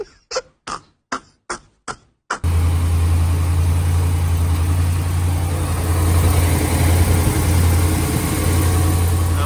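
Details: 2015 RAM 1500 5.7 Hemi after replacing broken header bolts to cure an exhaust leak that ticked on cold start: six even starter cranks, then it fires into a smooth, deep idle with no exhaust tick; repair worked.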